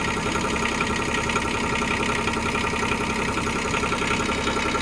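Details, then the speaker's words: Bobcat digger diesel with a long-sat flat battery, running after the jump leads were removed, alternator charging: steady, even idle with a light regular patter and no misses or knocks. "I've taken the jump leads off it, now it's running."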